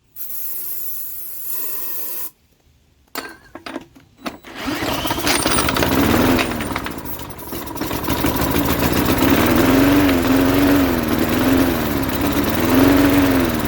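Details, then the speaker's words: 1988 Jacobsen mower with Briggs & Stratton 3.5 hp engine, turned over with a drill on starting spray: it catches and runs briefly and unevenly, then dies; the carburetor isn't supplying fuel and needs cleaning. "i think we need to take the carburetor apart now and clean it out because we're not getting fuel from the carburetor into the engine"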